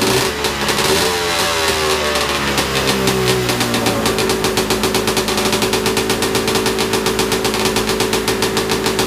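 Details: Big-bore stroker 277 two-stroke with repaired PTO-side seal, first full-throttle run in about minus 30 outside, just above freezing indoors; high buzzing climbs then holds near 8800 rpm, about 700 short of the pipe's powerband; clutch setup suspected, not confirmed.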